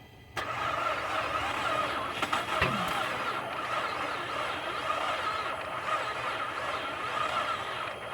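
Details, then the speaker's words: Cadillac CTS4 crank no-start: starter cranks at a steady even pace with one brief catch and stumble, never running; fuel and spark present but no compression because valve timing is incorrect. "it did appear as though the engine did try to start when you're diagnosing a crank no start issue there are three things you need air fuel and spark this one is getting two out of three it's not getting air because there's no compression"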